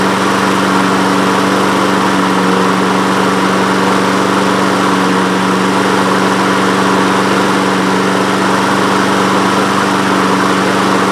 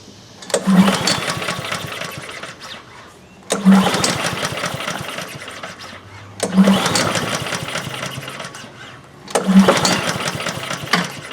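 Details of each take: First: Honda HRN216 lawn mower with GCV170 engine, air filter off, after cleaning the carburetor jet and emulsion tube and using fresh fuel: steady, even single-cylinder drone with no stumbles, starting on one pull and running smoothly. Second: Honda HRN216 lawn mower with GCV170 engine, with fuel in the tank, fuel valve open and oil checked; four recoil pulls, each a short whirring burst that dies without catching; cranks but won't fire; cause suspected, not confirmed.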